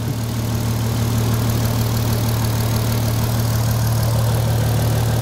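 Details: VW Golf R32 on first start after sitting, oil filter empty, ignition lights flickering: low steady idle with slightly uneven beat; somewhat lumpy cold idle, cause not yet known.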